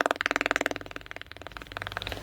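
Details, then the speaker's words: LED TV with TP.RD8503.PB816 board, picture fine: rapid steady clicking about fourteen a second from both speakers with no program sound; speaker clicking, no sound. "यह जो kit kit की आवाज आ रही है य दोनों speaker से आ रही है और इसमें यह प्रॉब्लम है कि इसका साउंड नहीं आ रहा है"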